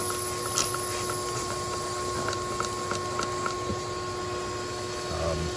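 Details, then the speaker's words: 1997 Jeep Wrangler 2.5L four-cylinder, ~204,000 miles, air box off, shop vac pushed into exhaust: steady airy hiss with short spritzing sounds where a manifold bolt is missing; exhaust manifold leaking badly. "i think there's a little bit of a leak there where the bolt is missing um yeah so [Music] this is going to be a fun little project so the whole whole manifold is uh leaking pretty bad"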